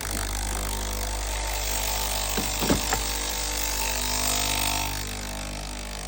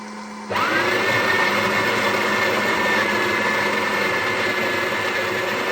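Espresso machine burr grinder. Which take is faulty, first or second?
second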